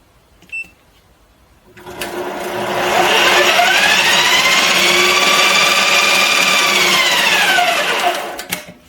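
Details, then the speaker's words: Bench lathe, change gear train with all gears engaged: loud whining gear mesh rising in pitch as the spindle spins up, holds steady, then falls away; normal gear noise. "If you want to know where all the noise of your lathe comes from, it's all in here. I'll just run it so you can hear it with all the gears rotating."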